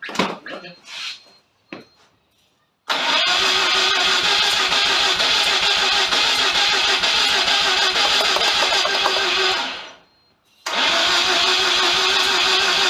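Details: FC Mazda RX7 rotary project after wiring and timing-light check: fast even chuffing, about four beats a second, stronger catches, not yet settling to idle; cranking with partial firing, nearly starts.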